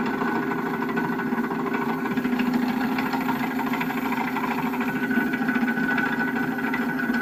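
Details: Vehicle (E26) after 6997 km in eight months: steady idle with an uneven tapping of about three per second over the engine note; abnormal engine noise, cause undetermined.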